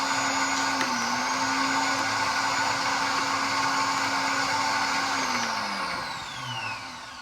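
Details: After a starter replacement and battery reconnection, the starter gives a steady, high electric whir for several seconds, then winds down slowly; the starter motor runs on, and grounds were checked tight.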